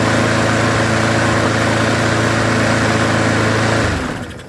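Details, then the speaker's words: Lawn mower that was leaking fuel from the carburetor and surging, after the carburetor jet was drilled one size up: steady even drone with no hunting or surging, then a clean wind-down at shutoff; normal running after repair. "Well, I would say that was a 100% success, wouldn't you?"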